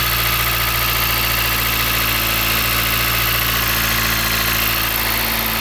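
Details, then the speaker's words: 2013 Chrysler 200 at idle with accessory belt removed, after a cold snap: steady even idle, only faint front whir, the plastic ticking gone, so the noise is an accessory; alternator clutch pulley suspected, identified with pulse-sensor stethoscope. "Little noise coming from the front, but it's definitely not the sound we were hearing before, so it's definitely an accessory."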